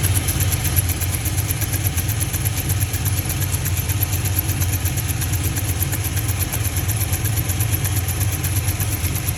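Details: GMC V8 truck idling with a sharp steady tick mimicking a lifter tick; cylinder 2 direct injector seal melted and blown out, leaking compression. Fixed with a new injector and seals.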